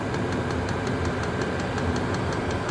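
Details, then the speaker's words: Chinese diesel heater with blue controller warming up, just starting to blow warm air, glow plug about to go out: even roaring burn with light regular pump tick about five a second; normal warm-up. "And now that's beginning to blow out warm air. It's not dead hot at the moment, but it says blowing warm air."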